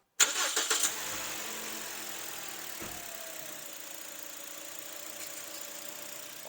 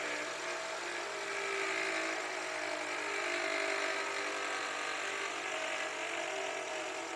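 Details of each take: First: 2020–2022 Toyota Voxy 3R 2.0 engine, after replacing the alternator and the single auxiliary belt: engine catches cleanly and settles into a smooth, steady idle with no squeal or chatter; noise gone, normal start and idle. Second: Toyota Voxy 2020–2022, 3R 2.0 engine, over 100,000 km, at idle, microphone near alternator: loud constant rattling whir located by stethoscope at the alternator; worn alternator decoupler pulley.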